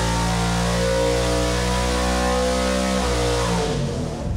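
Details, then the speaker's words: Stroked 347ci small block Ford with solid roller cam, single-plane manifold and 950 CFM QFT Black Diamond carb for a 1977 Granada, on a dyno pull from 5,000 to 7,500 rpm. A loud, steady note holds high revs with clean firing, then drops off smoothly. Healthy, peak power at 7,100. "Horsepower and 443.5 pound feet. That's nice. Yeah, and peak power happened, let's see, right at 7,100."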